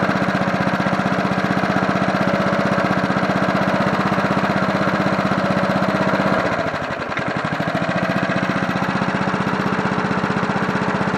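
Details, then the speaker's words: John Deere NO20K push mower (1980s), after cleanup, final startup on choke: steady, even single-cylinder chug at fast idle, dipping briefly as speed is lowered then recovering while owner tries to idle it down; running fine. "Sounds pretty good for a John Deere. I don't know how close I can get it to idle."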